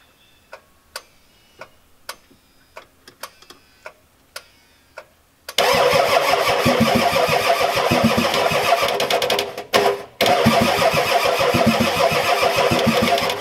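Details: Ford F-250 XLT 7.3L IDI diesel on brand new battery, second try: light clicks then steady fast cranking about three and a half turns a second, never fires; fuel not getting through, owner suspects weak injection pump.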